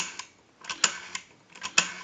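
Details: AE Monophone 40 rotary desk telephone after repair and conversion, final checkout with a line analyzer: crisp bursts of evenly spaced clicks as the dial spins back smoothly, with no drag or hesitation; normal rotary dial return.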